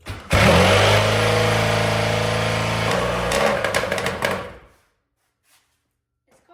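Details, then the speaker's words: 18DMX Banshee two-stroke methanol drag bike, first start after cleaning the carbs, fuel pump primed, cold start. It catches with a buzzy ringing two-stroke note, takes a few quick revs, then cuts. Starts cleanly and runs well. "that one should be ready pretty soon but this one runs pretty good let's go ahead and fire it up see what she sounds like"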